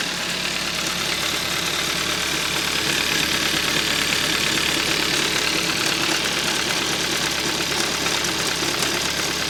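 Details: 2013 Hyundai Accent 1.6L, knock appears only once the engine warms up; warm idle with a steady metallic knock of about four per second, and the owner suspects a rod bearing or a loose timing chain, not yet confirmed.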